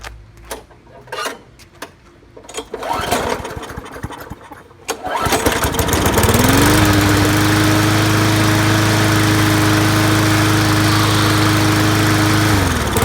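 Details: 2012 Murray 20-inch mower with a Briggs Classic 300 series engine, after carb cleaning, a carb linkage fix, tank cleaning, a used diaphragm, a new primer bulb and a replaced seized brake cable: a few pulls, then it fires, revs and settles into a smooth, steady drone with no misses.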